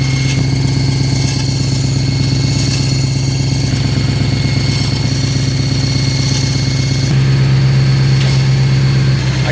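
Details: Abandoned V8 BMW M3 with 6-speed manual at idle: steady V8 idle with a rough, regular mechanical ticking on top; unclear whether from engine or transmission, rod bearings suspected but unconfirmed; clutch hydraulic hose ruptured.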